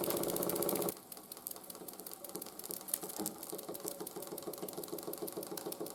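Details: 1914 Ernst Plank 114/1 vertical steam engine after running gear rebuild (new crank pin, wrist pin, crank shims): light rhythmic clicking and soft clunks about four a second; slight crank knock remains when hot, much quieter than before.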